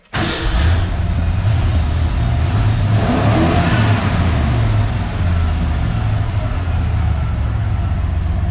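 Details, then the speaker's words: 1988 Ford F150 after fuel pump replacement: cranks and catches quickly, possibly slightly flooded, then settles into a steady low idle and stays running, with good oil pressure and no smoke; runs normally. "But it runs. And it stays running, crucially. Might have been a little bit flooded there when I finally got it running. It smells like gasoline, but it's not smoking. Sounds good. Runs good."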